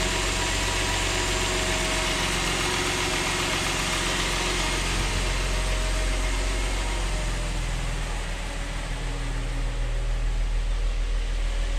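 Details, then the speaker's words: Mercedes E350 3.5 V6 after rebuild for knock and scored cylinders, new valve stem seals and gaskets, at cold start: steady, even low rumble with no knocks or ticks, barely any smoke; healthy cold idle. "Sounds pretty freaking good. Also, no smoke. >> I hear that it's not knocking."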